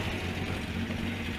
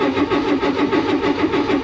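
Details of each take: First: Renault Trafic 2.2 L diesel with central silencer and original rear silencer, heard from the rear at idle: steady, soft, well-muffled exhaust, mostly engine fan whoosh; normal quiet exhaust. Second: Renault Trafic van with new radiator, during road test restart: starter churns evenly about three turns a second for over five seconds without catching; recurring hard starting, owner suspects battery charge.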